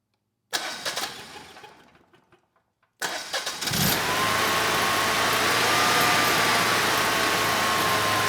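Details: Generac standby generator (model 0058751), 999cc engine after low-oil-pressure shutdown fixed with new oil pump: short crank catches at once, then smooth steady drone with faint even whine; runs healthy.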